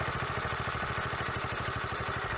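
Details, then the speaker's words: 1981 Honda CT110 barn find, first run after decades abandoned, started in two or three kicks: steady, quick single-cylinder idle with even beats and no timing chain rattle or tappet ticking. Idles cleanly. "not only does he run he idles sounds really good there's no timing chain rattle no taic noise"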